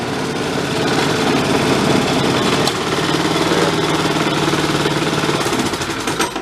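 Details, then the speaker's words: DR Power Wagon single-cylinder engine, apparently crash-damaged estate-sale find, running in gear (only first and reverse work): steady even thumping, no knocks or misses; engine seems decent, normal running. "all right this does something we're getting there engine seems like it's decent"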